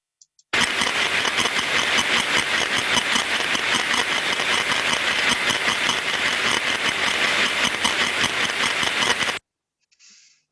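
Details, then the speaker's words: Ultrasound at 25 kHz, sensor on the output-stage body of a slow-speed planetary gearbox, planets turning about 60 rpm: harsh, highly repetitive crunching, high-friction rasp with large amplitude swings, about 2.5 per second; planet gear friction from wrong lubricant. "so what we can hear here is a very repetitive sound as you can see from the time waveform we see large amplitudes and as we hear the increase in amplitude you hear what sounds similar to a crunching sound or a very high friction sound that's highly repetitive"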